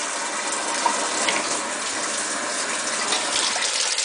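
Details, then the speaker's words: Washing machine on cold fill after cleaning clogged fill valve screens and flushing hoses for slow fill: strong, steady rush of water into the tub with no sputter or trickle; healthy full-flow fill after repair. "I got it set on cold. And voila! Got strong flow."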